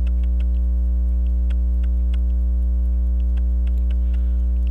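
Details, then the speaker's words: Waltham Appleton Tracy 18-size 15-jewel pocket watch after fixing loose hairspring collet and seating hairspring in regulator pins: crisp, fairly even ticks over low hum, no stumbles, balance swing maybe almost 180; normal running. "it's running better now you know looking at the swing of the balance what am I getting on that I don't know anyway it runs better now that I put the uh hairspring and the regulator guide pins"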